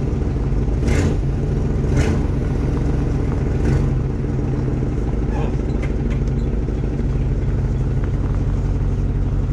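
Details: Chevy K5 Blazer, 350 5.7L V8, 4-inch lift, first start of the year after sitting, exhaust leak; heavy low droning growl over engine in gear with a few sharp early clunks from rear axle, only in drive and reverse; owner suspects oil needed.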